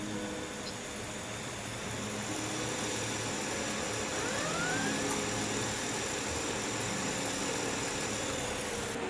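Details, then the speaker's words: GTX 1660 graphics card fan in Ethereum mining rig, after cleaning, previously making strange noise: soft steady whir with light hiss, no rattle or scraping; noise gone or much reduced, fan running normally. "esto ya no está haciendo más ruido o muy poquito comparado con lo que hacía antes bueno está bastante mejor"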